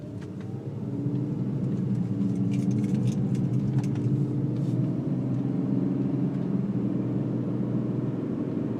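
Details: 2004 BMW 325i E46 petrol engine at idle or when coming to a stop: low, droning rumble with buzzy vibration through the car that stops with slight throttle; cause not identified.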